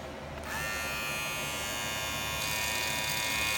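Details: Wahl premium red clipper guards: high buzzing clipper with faint loose chatter as the guard rattles against the blade; fixed by bending the guard clips for a snug fit.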